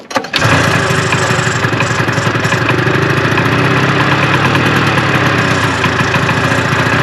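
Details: 1974 Arctic Cat Lynx snowmobile, fan-cooled 340 two-stroke, sat 5 years outdoors in cold snow on old fuel, pull-started with starting fluid. A cough and catch, then a steady, slightly lumpy idle that keeps running on its own.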